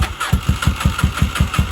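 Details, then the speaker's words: 1983 Honda Shadow VT750C after final assembly, cold and on choke, plugs likely wet with fuel: lumpy uneven thumps about five a second barely keeping running after a hard start; cold-blooded engine stumbling before warming up. "she's trying but she's pretty wet in there I think so uh sorry she doesn't want to stay running"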